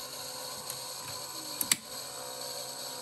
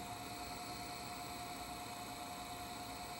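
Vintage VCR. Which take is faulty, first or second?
second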